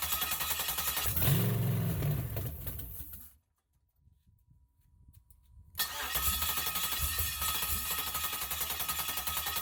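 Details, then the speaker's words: 1969 Camaro engine being started by spraying gasoline into the intake manifold: the starter drags the engine over slowly and then stalls to near silence, as the battery has run down from use since the day before. "all right so just having a couple technical difficulties here my battery actually um didn't have enough juice in it anymore i've been using it since yesterday anyway"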